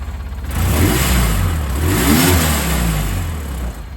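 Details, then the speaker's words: Ranger farm vehicle fitted with a custom homemade hand throttle, test fit; engine starts, idles correctly, climbs smoothly into a steady rev and settles back, even firing, no knocks or misses: throttle and idle work normally. "Let's start it. See if it idles and works correctly. The idle works."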